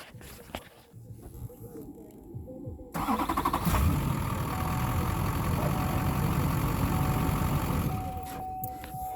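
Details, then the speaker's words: Normal start of a Duramax diesel after an AirDog 150 fuel lift pump install, with excess fuel returning to the tank; it previously cranked long and hard before starting. Brief crank, then it catches at once and settles into an even, steady idle clatter. "So when you start a diesel, a Duramax, it should sound like this."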